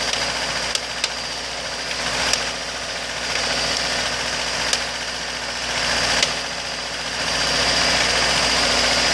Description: 2003 acura rsx base with k20a3 car runs drive fine but a really loud tap happens at idle some times but it u bring it to bout 1800rpm like in the video you here it more its when car is warm